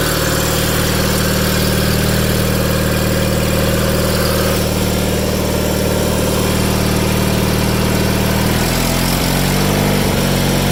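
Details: 1987 John Deere 318 tractor, 1200-hour Onan P218G twin (B48G oil pan and starter swapped in), after starter replacement and wiring fix, parked since December: steady, even low regular beat at idle, no misses or knocks; idle smooth.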